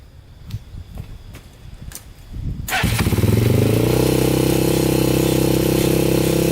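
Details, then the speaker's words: 2001 Honda 400EX quad, first start after new stator and rewiring: after cranking thumps the single fires and holds a fast, steady high idle; throttle stuck high, choke on, smoking. "throttle's still really high still smoking too so yeah throttle's still really high"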